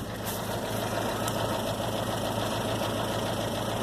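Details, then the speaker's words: 1997 Dodge Dakota 2.5 L, 5-speed manual: light quick ticking, about three taps a second, over a steady idle when warmed up; lifter tap, owner suspects a clogged lifter. "But when the car heats up, it causes a lifter to start tapping."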